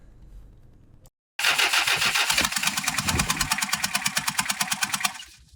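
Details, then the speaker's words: Toyota LN106 Hilux diesel, first start after full engine rebuild with new head gasket, coolant being watched: clatters into life with rapid, loud hissing chuff every beat; noisy because the dump pipe is off the turbo. "Now we're just going to watch the coolant level. It's pretty noisy because we don't have a jump"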